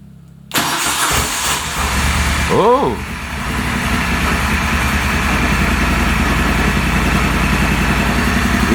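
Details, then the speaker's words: Replacement engine in a Moto Guzzi Stelvio, first start after sitting six to seven years: starter spins, the engine coughs and catches, then settles into a lumpy, uneven idle; no oil leaks seen so far. "no go it sounds like it wants to do something"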